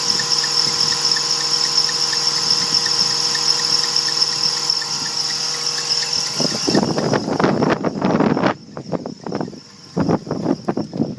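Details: 2001 BMW 330i at idle: constant shrill high-pitched squeal for several seconds, then it cuts off; accessory belt squeal.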